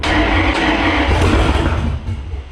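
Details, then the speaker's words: Jeep Grand Cherokee drag-race beater, freshly installed engine, first fire on a splash of gas in the carburetor: catches and roars up, then eases off; rough note but no clanking or metallic knock. "Oh yeah. She's gonna run. That didn't sound bad. I didn't hear any clanking. That's something."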